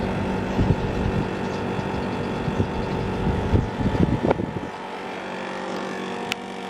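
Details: National (Matsushita) CU-915KH 1.0-ton mini-split outdoor unit from the 1990s, mounted on the roof tiles, recorded in daytime: steady compressor hum with a rattly, vibrating rumble that eases later; noisy since September 2012 and varies in loudness, cause unknown.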